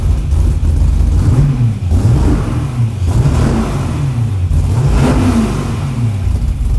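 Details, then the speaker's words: 1999 Porsche 911 with 5.3 L all-aluminum LS Chevy V8 swap, shorty stainless headers, 120 lb injectors, out-of-box startup tune, first fire-up: deep V8 bark rising and falling smoothly on throttle blips, even firing, no misses; healthy. "Yeah, she sounds good now. Oh, baby. Wow. Hell yeah. Nice. Killer."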